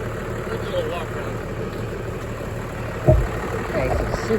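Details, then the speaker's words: 1996 Dodge Ram 2500 Cummins 12-valve diesel sitting seven years, started after priming via lift-pump primer: deep, steady low diesel clatter at idle, no misses or knocks; normal cold idle. "all right so is running pretty smooth for being cold cool just let it warm up"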